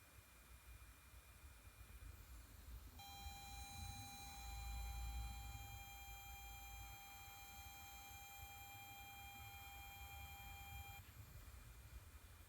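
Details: Kenwood DPX-5000BT car stereo: steady fairly high buzzing through speakers every few seconds on every source, holding about eight seconds then stopping abruptly.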